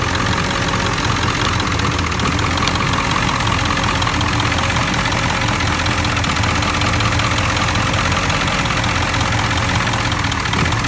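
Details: 7.3L Powerstroke diesel at a rough idle with loud clatter and an uneven beat, intermittently dropping bank 1 injectors. Suspected electrical fault, a short or poor connection at the under-valve-cover harness, not confirmed.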